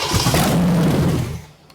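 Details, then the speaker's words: Big-block Chevy 454 V8 sat 20 years, open exhaust: deep rhythmic starter churning that never catches, then silence; thought to be out of fuel; good oil pressure, no rod knock. "yeah we're out of fuel yep just out of fuel Big Blocks uh they don't run long"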